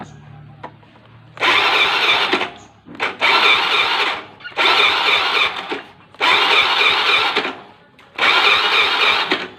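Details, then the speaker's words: Honda Beat FI scooter that dies when ridden, after injector cleaning and 40 psi fuel pressure test: five one-second cranking bursts, turns but never catches; doubtful compression unchanged by oil in spark plug hole, low compression, engine block opened. "yaitu di bagian kompresi yang meragukan"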